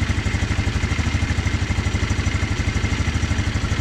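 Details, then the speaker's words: GY6 150cc four-wheeler after installing a replacement carburetor. A small single putters steadily at idle with even pulses and no misses, though idle is slightly high and may need the idle air control valve adjusted; otherwise runs great. "but other than that it runs runs great right now uh this has been starting i got it that's a little high though you may need to adjust that idle air control valve that i showed you"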